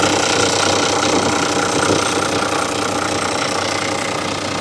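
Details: 2000 Toyota Land Cruiser VX100, idling just after start-up: a loud, steady, smooth idle with no irregular knocks or misfires. Normal, healthy idle.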